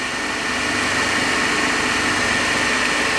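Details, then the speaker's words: Lab three-phase induction motor coupled to DC compound machine, balanced supply, no load, 230 V, about 3.5 A per phase, about 1484 rpm: even, steady hum, constant high tone, no beating or growl; running normally. "So we have taken the first set of reading on balance condition, running machine as a 3-phase only."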